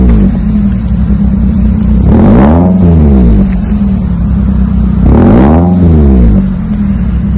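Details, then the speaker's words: 2001 Toyota Celica GT 4-cylinder after new axle-back exhaust with Magnapack muffler, stock front, 4-inch stainless tips: two clean blips from idle, deep mellow rumble following revs, no rattles or leaks; healthy exhaust rumble. "It's pretty much stock up front. Should give it just a little rumble. It's all the customer's looking for."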